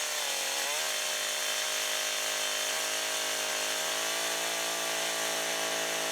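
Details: Husqvarna 562XP AutoTune two-stroke chainsaw, long unused, cutting after 30-40 seconds of part-throttle self-tuning, cold fuel and oil around 15 degrees: steady high scream under load, pitch dipping only slightly in the cut, no bogging or surging; running healthy.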